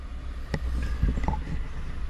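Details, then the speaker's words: 2014 Ford F-150 5.0 Coyote V8 after fixing cylinder 3 misfire by replacing torn coil pack: low even idle holding steady through light throttle blip, no stumble; scan tool shows no misfires on any cylinder. "Let's give it a little bit of gas. Listen to that. Look. No misfires, man."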